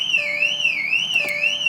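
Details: 2008 VW Touareg V8 that won't start, unlocked with the key in the keyhole without the remote, foot on brake: loud warbling siren sweeping up and down about twice a second, nothing else running; factory alarm sounding, car totally locked.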